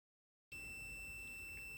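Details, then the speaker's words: Multimeter continuity test on a computer mouse's left-click micro-switch; half a second of quiet, then one clean, unbroken high beep showing solid continuity. "I'm getting no resistance, or very small amount of resistance, like 0.1 ohms."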